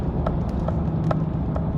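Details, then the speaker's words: GM 1500 6-lug truck (ex-SEMA) at about 50 mph, after both wheel bearings were replaced with Kryptonite units because the left one was bad: steady low cabin rumble with no hum or growl, super quiet. "i mean it's i'm super happy with this uh uh kryptonite wool bearings they are definitely worth the money it's super quiet in here"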